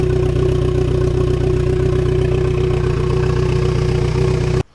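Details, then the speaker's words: Fiat Coupe 16V turbo, started after a restoration and engine reinstall, with fresh coolant added and bleeding: the engine idles with a steady, slightly uneven pulse; fine at idle but rough after revs, and a vacuum leak or throttle body issue is suspected. "The car is finally outside and it's running. Sort of. It's a little rough. At idle it's fine, but after giving it some revs, a bit rough."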